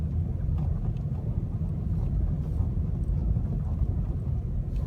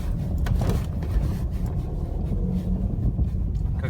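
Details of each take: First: Restyled Opel Astra J, bad-roads package, 60,000 km, driving at -22 °C after front strut work fixing knocks over small bumps: only steady road rumble and wind, no clunks or knocks; quiet front suspension. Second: 2013 facelift Opel Astra J with the rough-roads package on original front shock absorbers, running with brake and throttle held: loose low clunks and rattles that also occur on small bumps. Not the calipers; the original shock has play.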